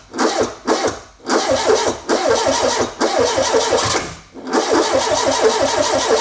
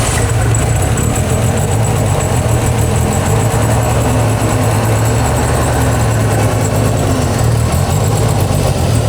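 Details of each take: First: Renault 5 GT Turbo, first start attempt in 5 years: starter churns in repeated bursts and the engine coughs and nearly catches but won't run; the fuel pump had no power. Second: Renault 5 GT Turbo, first run in 5 years after ECU and wiring work and turbo rebuild, revved to check for knocks: deep steady engine note, no knocks or ticks, clears when revved; turbo not seized, sounds healthy.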